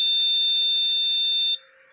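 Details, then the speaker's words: Motherboard buzzer with no RAM installed: one long, steady, high-pitched beep of about 1.5 seconds, repeating. This is the board's no-memory beep code. "Ternyata, tanpa RAM terpasang, akan terdengar bunyi bip panjang yang berulang ."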